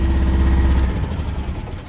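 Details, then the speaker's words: Miva mini excavator diesel in cold weather, running just above idle: a steady low chug with even firing and no knocks or rattles, fading slightly. The engine sounds healthy. "you hear this running that idle right there is how this whole thing will work the whole thing will run"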